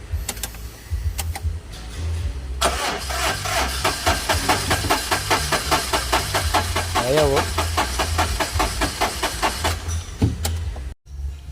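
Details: Suzuki Super Carry, hot engine after half-hour shutdown: starter cranks evenly about two beats per second for about seven seconds without firing; hot no-start, starts when cold, injector replaced without fix, starter suspected.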